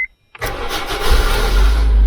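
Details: Roughly 2008 Honda Civic, 20 A fuse current-tested after repeated blowing (5 A ignition on, 12–14 A running, about 15 A with wipers): brief chirp, quick crank, engine catches cleanly into a steady, even idle. Healthy start; fuse considered marginal, wipers possibly frozen.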